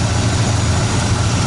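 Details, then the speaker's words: RV engine idling on the factory ignition after the aftermarket ignition box was bypassed, although it was set up for extra fuel delivery: a deep, even low rumble with a steady beat and no misfire or stumble. It idles smoothly. "so now I just have the factory ignition system running it hopefully it'll be okay"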